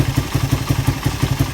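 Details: Suzuki Satria FU single after repair of compression loss caused by a badly leaking valve, with a new piston: regular, evenly spaced thumps about six a second with no stumbles or clatter; a smooth, healthy idle.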